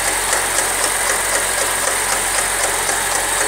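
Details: Chevrolet Corsa Wind petrol engine idling after a 130 km trip: steady light tick about four a second, first suspected as camshaft but traced to a worn water pump bearing and loose timing belt tensioner.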